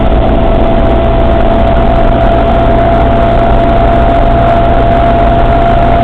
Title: ruidos raros en la trasfer del suzuki samurai/strange noises in suzuki samurai's transfer case